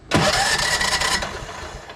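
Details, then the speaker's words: Craftsman T1200 riding mower, spark plug out, after fixing a compression release issue: short, brisk crank that spins freely with no labouring, much easier than the earlier gargling and popping; normal cranking. "oh yeah much much easier further too I'm sure you guys can hear the difference on that earlier it was gargling and popping"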